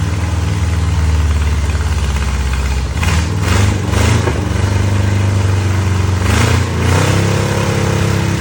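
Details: 1963 Oldsmobile 394 Starfire V8, forgotten engine just reassembled and started: deep, steady idle between a few throttle blips that rise and fall cleanly; running fine.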